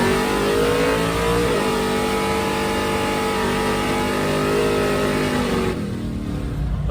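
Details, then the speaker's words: Drag car at wide open throttle with an LBG carburetor: long pull climbs, then wavers and sags past half track in high gear, surging as if starving for fuel; owner suspects fuel delivery or pump, unconfirmed. "i don't know what's wrong with that other one it acted like it was running out of fuel it surged you'll probably hear it in the video"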